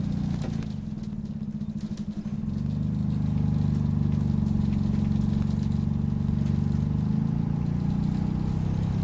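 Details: Optare Solo CTP OS20 bus YJ12GVR on route 309, Poplar Baptist Church to Canning Town Station: loud, rough low diesel drone that flares and holds high without matching road speed; engine thrash and labouring, suspected slipped gearbox, with squeaky and motorbike-like noises.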